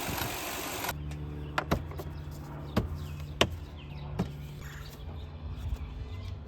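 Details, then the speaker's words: Lexus LX470 with a misfire and rough idle but no check engine light or codes: sharp, irregular clicks about once a second, with the engine stuttering at each one. The source of the clicking is unconfirmed; the owner later suspected an ignition coil. "but if you listen to it every time it clicks it the engine's kind of stuttering so that might be it"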